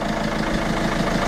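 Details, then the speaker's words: Peugeot 307 diesel after repair: steady, even idle clatter with no shake or misfire, smooth enough to balance a two-euro coin on it; repaired and running normally. "alors avoir une merde elle tremble plus elles se disent on pourrait mettre une petite pièce de deux euros sur le flanc qu'elle voudrait pas"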